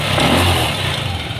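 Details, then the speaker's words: Yamaha Aerox scooter, very hot idle after replacing intake rocker arm and water pump bearings and seal: even beat with no metallic rattle or ticking; the former top-end clatter is gone, normal hot idle. "so nawala na mga tropa yung tunog jolin niya rito"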